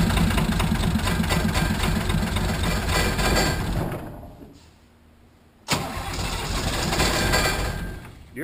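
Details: 1980 International Harvester Travelall with Nissan SD33 turbo diesel, first start after oil, fuel and air filter service. It cranks and stumbles with rough, uneven firing, nearly dies, then catches; air in the fuel system, may need the bleed screw cracked and more priming.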